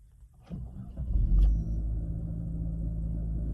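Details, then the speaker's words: Mitsubishi Eclipse test start right after starter replacement (old starter clicked and intermittently failed to start): brief crank, catches instantly and settles into a smooth, even low idle; normal start. "I would say that was an instant start for the most part."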